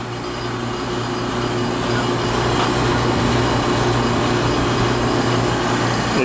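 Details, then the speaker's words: Outdoor unit of an AC low on refrigerant with low subcooling: steady hum with light uneven check valve rattle from insufficient refrigerant flow. "the check valve rattling because it doesn't have enough refrigerant flow check valve open"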